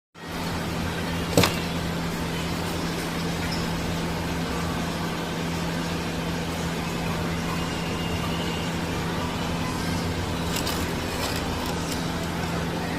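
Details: Honda Activa scooter running: steady low hum with a constant droning tone; gearbox noise of unknown cause.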